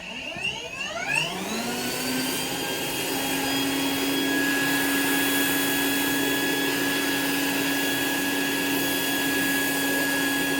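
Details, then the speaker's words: Rainbow E2 Gold two-speed vacuum cleaner after rebuild (motor parts washed, lower motor bearing repacked, new HEPA filter, belt and brush roll): motor spins up smoothly to a steady, even hum with no grinding or rattle; it runs normally. "so now it's running just like it should it runs perfect"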